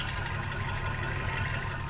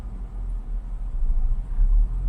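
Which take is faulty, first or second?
second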